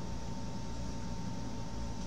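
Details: Smooth low hum with a faint steady whine and no rattles or grinding from a comparison GoPro Karma drone that runs quiet and normal, unlike the customer's noisy, overheating Karma that will not fly until updated.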